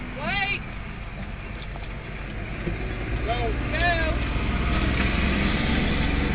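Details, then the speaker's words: 2000 Ford Taurus SE hard start after running out of fuel and refilling; steady starter churning, about three to four beats a second, long crank before it finally catches and runs. "Turn over. Come on. There we go. It's going."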